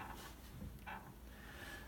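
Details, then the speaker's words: Piano sustain pedal with knee board removed: brief, high-pitched squeaks at each pedal press in a quiet room; obnoxious squeak, generally just a matter of lubrication, Teflon powder preferred. "this is called the knee board okay this piano yep as a pretty obnoxious squeak"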